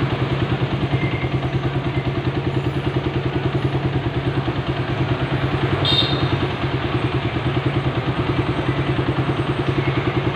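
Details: Suzuki Satria FU 150 single after engine teardown and rebuild; even steady beat about two hundred pulses a minute, no knocks or rattles, runs smooth and healthy.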